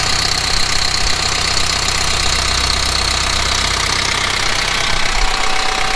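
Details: Kubota M15GX tractor diesel after an engine rebuild, steady idle: even clatter about four beats a second with no uneven knocks or blow-by; running healthy.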